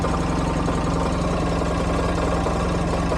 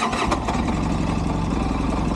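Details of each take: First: 2012 Polaris RZR 800 S after a long ride: fairly smooth idle, then light rattling tapping that quickens with revs at mid-range throttle; owner suspects valve noise and plans an engine teardown, after a prior oil pressure relief valve modification; tapping when revved. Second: 2012 Polaris RZR 800S engine at idle: even, steady low idle with a regular pulse and no knocking, sounding normal. The owner hears valve tapping when revved to mid-range and plans a teardown. Normal idle.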